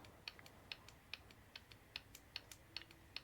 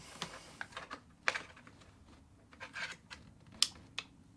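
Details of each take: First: Vauxhall Corsa D 1.4 petrol, new Bosch 0 280 142 486 EVAP purge valve bench-tested in a quiet room: faint crisp ticks about two and a half per second; normal quiet purge valve clicking. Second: Vauxhall Corsa D 1.4 petrol, old EVAP purge valve removed and bench-powered from battery: sharp loud rapid clicking; noisy purge valve causing the common engine tick.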